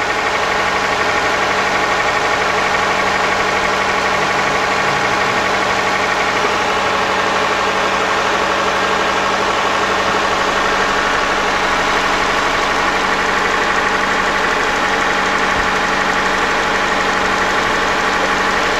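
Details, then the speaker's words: Hyundai Grandeur TG petrol V6 idling: a light, rapid ticking of about three a second from the canister purge valve, possibly a faulty check valve. Replacing the valve should fix it, and the engine otherwise runs normally with no misfire. "이 이게 지금 터지 밸브에서 네. 터지 밸브에서 소리가 나네."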